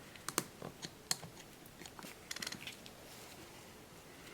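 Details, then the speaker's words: Made-in-USA Craftsman 1/2-inch ratchet, previously rough and seemingly skipping, after cleaning, lubricating and reassembly: crisp light clicks in short bursts as handle swings, no slipping; smooth, no skipping. "I don't know if you can hear that that nice and smooth there's no skipping going on there"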